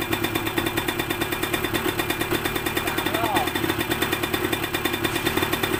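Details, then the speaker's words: Yamaha DT125MX two-stroke after fitting a square K carburettor in place of an NPro carb (hanging idle, leaking float), air screw about 2.5 turns out, idle adjusted, before warm-up: crisp, even popping at steady idle, no hunting; normal idle. "โอเคเดินเบาได้นะครับเดี๋ยวทิ้งเครื่องวอร์มไว้สักพักนึงนะครับ"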